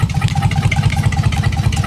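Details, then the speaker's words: Dodge Magnum SXT 3.5L V6 stroker with big Inertia cams and hand-ported heads and intake, on its first start. A deep, choppy, lopey idle from the big cams; the computer is thought to be still learning the cams and fuel trims likely need tuning. "so thank you it definitely sounds like that she's got a big fat nasty camera"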